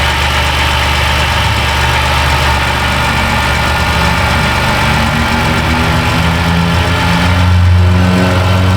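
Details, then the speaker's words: 2010 Dodge Grand Caravan 3.3 that bogged down and stalled; after a replacement computer was fitted, engine in closed loop with O2 switching. Steady, even idle with a smooth low rumble, no stumbling or misses: normal idle. "well there that was easy I don't I don't think there's anything else to look at here it actually runs this lady will be happy"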